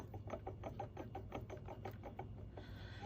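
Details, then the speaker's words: Turbo removed from a naturally aspirated Lexus IS300 turbo conversion that had been popping and backfiring, spun by hand: a dry, rhythmic scrape about four or five times a second; the turbine nut had backed out, leaving shaft play, a scored housing and cracked blades. "you can see the blades are damaged cracked it's making a pretty gnarly noise oh yeah that is done there's a little the play you can hear it"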